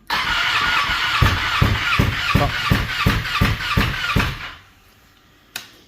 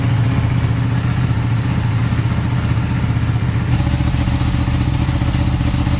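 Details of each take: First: Ducati 959 Panigale race bike that lost power and misfired at Cadwell, then would not restart; battery fully charged, ECU error code cleared. Starter spins with steady compression pulses near three per second, but it never fires, though fuel can be smelled. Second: Ducati 959 Panigale race bike that lost power, misfired and then cranked without starting; after a cleaning, on a low battery it fires into a deep, lumpy, even twin-cylinder idle with no misfire.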